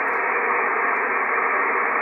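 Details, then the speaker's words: Icom IC-7300, no antenna, nothing on frequency, audio at full volume: constant flat hiss of internal receiver noise that RF gain fails to reduce. "now these controls here the RF gain have absolutely no way of reducing the transceiver noise the receiver noise in here these are absolutely useless for that thing"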